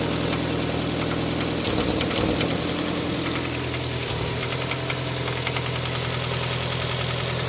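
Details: Toyota 7A-FE engine idling steadily with an uneven tapping knock, loudest in short bursts around two seconds in; unexplained knock from inside the engine, cause unknown.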